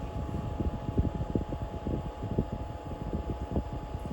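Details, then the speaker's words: VEVOR 5 kW 12V diesel air heater shut down at the controller; the fuel pump has stopped, and the fan keeps running in cool-down mode before switching off. Steady fan whir with a constant tone and soft low rumble: normal cool-down. "So it has to go down in a cool down mode to cool it off in there before it turns the fan off."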